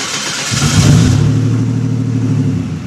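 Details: Typhoon started for the first time after a turbo install, before a test drive: the engine catches, blips up sharply, then settles into a smooth, even drone with crisp response; the turbo engine sounds healthy.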